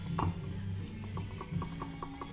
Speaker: that little clunking if you hold the pinion still that is what's called backlash clunk clunk clunk clunk that's engagement from reverse to rear reverse to rear